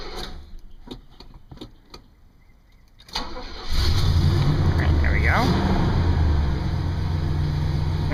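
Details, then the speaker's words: 1972 Oldsmobile Delta 88 V8 with mechanical fuel pump, started after sitting a couple of weeks: cranks a few times, catches, then settles into a smooth, even low idle with no knocks or misses; runs real nice, normal idle. "you get it fired up, it runs real nice and smooth, take it for a quick little spin."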